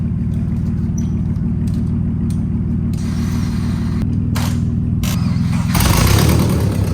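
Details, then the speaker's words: Subaru 2.5RS abandoned nearly 20 years, first start with nasty-looking oil on a borrowed battery; loud open-pipe rumble with steady lumpy beat, no knocks, timing appears correct: normal running after long storage. "So it's really good to hear it run because now we know the timing's correct. We know that there's no knocks, which is a big thing for Subarus."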